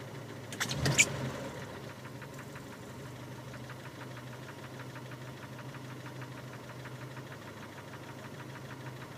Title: Стук в двигателе